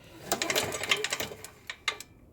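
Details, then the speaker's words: Power Boss 5500 (7350 starting watts) generator engine turned slowly by hand gives sharp metallic clacks and lone knocks. Metal chunks were found and the rod is slapping: a broken connecting rod whose cap broke off the crankshaft. "I mean y'all can hear it see that's the rod right there that's the counter balance so I'm thinking a broke rod that's what I'm thinking"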